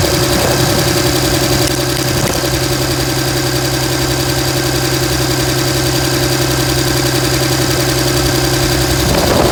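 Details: 2007 Dodge Ram 5.9 Cummins diesel, loud uneven idle with lumpy, stumbling exhaust pulse about three a second; began a month ago, intermittent fuel rail pressure, MAP sensor and overboost codes; owner asks about excessive blow-by; cause unclear.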